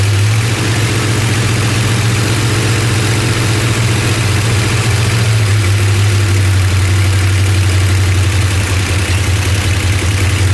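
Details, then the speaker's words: Rebuilt engine in a '75 Plymouth Roadrunner, fresh start on pump gas, timing not set with a light: deep idle with an uneven lumpy pulse, beat wandering rather than even; rough idle, cause suspected, not confirmed. "All right, yeah so it fired and ran for a second. Mhm. Pumping gas from the tank. Pump gas. Didn't sound real smooth."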